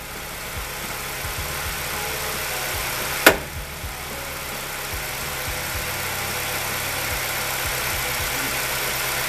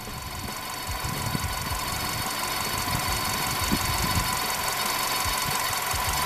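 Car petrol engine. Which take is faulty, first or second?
second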